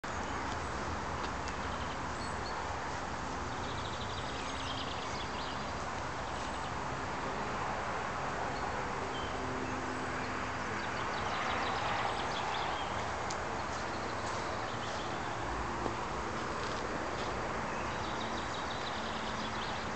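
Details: Kawasaki KX85 two-stroke running with a loose, irregular knocking and dinging under the exhaust noise: piston slap from a damaged, undersized piston in the barrel.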